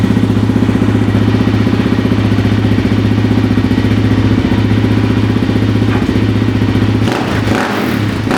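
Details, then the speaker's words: Suzuki LTZ 400 quad idling just after top-end rebuild (new cam chain, piston rings, oil hoses, re-shimmed intake valves): steady even single-cylinder thump, no ticking; former tick gone, top end healthy. "But sure enough, she fired right up. There's not even the slightest trace of a tick."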